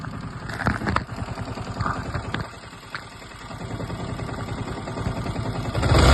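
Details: Yamaha R15 V3 single at idle: uneven rattling clatter about four knocks a second over the firing, sudden onset; timing chain, one-way clutch or rocker considered.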